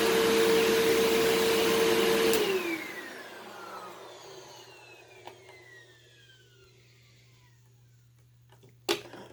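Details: Eureka SmartVac 4870 upright vacuum, repaired from two broken machines, on high carpet setting: smooth steady motor hum, then power off and a long gradual spin-down; belt slipping slightly and likely due for replacement soon, otherwise runs fine.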